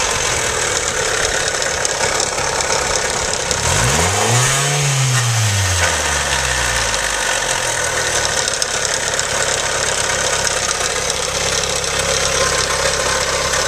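Steady quick ticking over the idle, holding through a brief rev; a knock from the bottom end is possible but unconfirmed.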